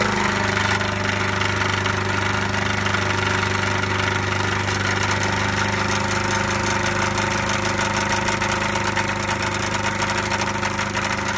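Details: 1999 MerCruiser 3.0 inboard petrol engine idling with a steady hum and a repeating knock, roughly three a second; the cause is unidentified.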